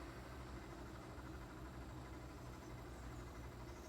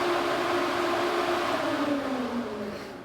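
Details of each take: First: 2005 Nissan 350Z, failing cooling fans causing poor A/C at idle: fan activated on low speed whirs lazily and dully, amperage dropping to zero; weak slow-running fan motor, replaced with Mishimoto performance fans. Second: 2005 Nissan 350Z whose failing cooling fans caused poor A/C at idle, after replacement with Mishimoto fans run on low speed. An even whir of air forced through the radiator, easing off as the fans slow: fans working properly.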